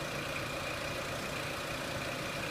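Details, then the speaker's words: 2003 Renault Clio 1.6 petrol with intermittent stalling traced to a loose crank sensor connector: after starting, the idle stepper motor kicks in and it settles to an even, steady idle with no misses or hunting. Normal idle. "You can see the stepper motor kicked in and back to normal. And it's idling quite nicely now,"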